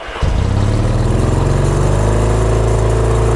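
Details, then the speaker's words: Yamaha XS650 motorcycle twin, freshly serviced, catches and settles immediately into a fast steady idle around 4,000 rpm that stays high; owner suspects the idle needs adjusting, possibly fuel starvation. Behaves well once put in gear. "See, immediately going to like 4,000. The idle might need to be adjusted, which is very possible."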